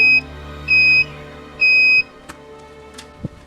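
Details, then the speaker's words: Polytron PSC 35WB 1990s cassette deck, tape drive motor leaf switch tested with multimeter continuity buzzer: three steady high beeps then quiet clicks; switch contact is good, before cleaning and replacing slack motor-to-flywheel belts. "Kiểm tra tình trạng của công tắc lá động cơ truyền động, kiểm tra bằng chế độ còi báo trên đồng hồ"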